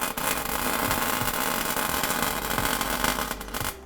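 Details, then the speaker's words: MIG welding the differential of a BMW E36 Compact to lock it: an even, crackling hiss held steady for a few seconds without popping or stuttering, the sound of a hot, well-penetrating weld. "nice good so you hearing that hearing that noise as well that's that's red hot good mate"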